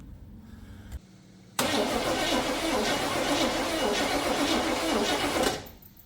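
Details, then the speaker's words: 1980 Chevrolet Scottsdale pickup parked 26 years since 1997, cranking on a freshly charged battery before fuel poured in carburetor: starter churns steadily about four seconds with even chugging beat, no firing. Finding: cranks, no start. "Let's turn it over now and see how that is with a fresh battery."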